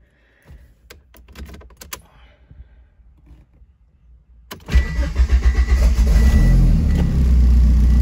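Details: Talon 4G63 after battery replacement, exhaust gasket just fitted: engine cranks and catches, then idles with a quick tick of about four per second from the manifold side; an exhaust leak.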